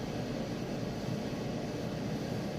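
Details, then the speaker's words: Maytag Bravos electric dryer after full strip-down, greasing and reassembly, running on medium heat with normal settings. Steady, even whoosh of drum and blower with no thumps, squeals, scraping or shakiness; running normally. "And there it is. Sounds good. There's no shakiness or anything like that."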